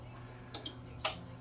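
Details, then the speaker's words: Yamaha RX-N600 receiver at power-on: a couple of faint relay clicks, then near silence with only a low hum and no speaker output on tuner; speaker relay clicks in, cause suspected, possibly operator error, not confirmed. "and I heard a click. So, what is going on? Maybe it's operator error. It's always a possibility. Operator OC speakers. I don't hear any sound."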